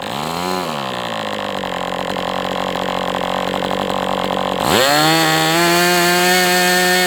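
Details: MDS 68 FS Pro model engine on a break-in run, heavy exhaust smoke: buzz swells, settles, then climbs to a clean steady full-throttle scream. Running well, better than with the idle bar plug, after carb tuning.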